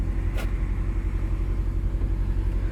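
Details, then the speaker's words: 2005 Nissan Altima 4-cylinder, cold, during the throttle body relearn: smooth, steady rumble held at a fast idle that is starting to come down. Owner suspects the cold engine is the cause and is waiting for normal operating temperature. "ان الار بي ام كل ما قاعد يرتفع. الحين قاعد ينزل تمام، بس الظاهر عشان السيارة باردة."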